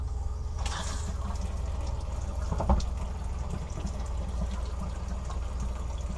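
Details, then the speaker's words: Fresh water pump on a 2000 Sea Ray 34' boat, previously intermittent low pressure, owner suspects it sucked air and kept running; bleeding bathroom hot and cold lines. Steady rushing flow with low pump hum, no spitting air; solid stream, pump then seems to shut off. "a hot water and cold water side looks like pretty solid looks like a pretty solid stream so i hear the pump running"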